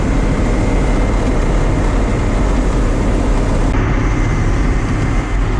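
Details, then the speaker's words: John Deere combine harvesting wheat with a JD 224 header, after the header was repaired because fingers were riding too low and breaking. The engine drones steadily with the header churning and no knocks; it runs well, but chokes down if driven too fast. "If you go too fast, it'll start choking it down. So, but it's working really well."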